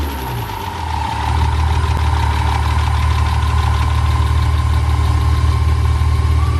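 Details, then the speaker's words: First start after reassembly with a compression bump: engine catches and settles into a steady, even low idle with a faint constant whine on top; oil pressure built, fan on, no check engine light, sounds healthy. "Yeah, built oil pressure. Yeah, fan's on. We should have more power now too, because the compression bump."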